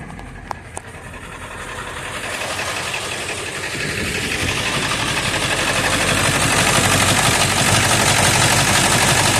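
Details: 1999 Ford F350, 7.3 turbo diesel burning oil, 217,000 miles, cold start on a summer day: rapid steady clatter about four knocks per second, growing harsher, with exhaust smoke. Improves warm but never disappears; cause unclear.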